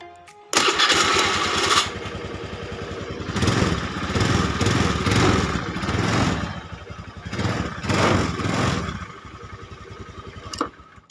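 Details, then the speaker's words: Honda Scoopy carburetor scooter after fixing a starter that only clicked, by disassembling, cleaning and lubricating the starter motor without new parts: button press spins the engine briefly, it fires right away and revs in blips; normal start. "hidupkan lagi Oke bu ya yang tampak jengkel lagi atau tinggal pencet langsung hidup dan langsung jalan"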